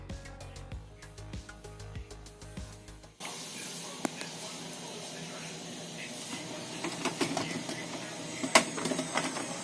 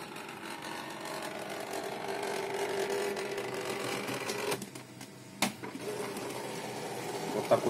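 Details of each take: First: HP Pro M132 scanner after repair, with the carriage motor replaced from a donor unit: the carriage runs with a steady, even whir, the crackling gone, and it works properly. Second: HP LaserJet Pro M132 scanner copying with the lid open: unpleasant rough crackling buzz under the scan bar's travel from a failing scanner drive motor.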